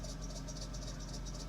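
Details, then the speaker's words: Late 90s–early 2000s Dodge Caravan 3.3/3.6 L V6 idling: rapid high chirping squeal with a new, good belt, caused by a misaligned idler pulley pulling the belt off line, which also makes belts slip off. "Okay, so the culprit in this issue, whether it's your belt slipping off or the squealing sound when your belt looks fine, and this belt, look at that."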